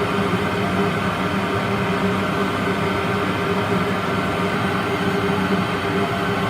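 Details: Worcester Greenstar 38 CDI gas boiler on annual warranty service, fan at maximum rate during combustion adjustment: constant, even fan hum with steady low tone, no rattle or wavering; normal running at full rate.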